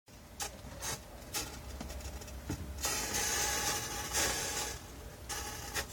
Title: Strange noise coming from fridge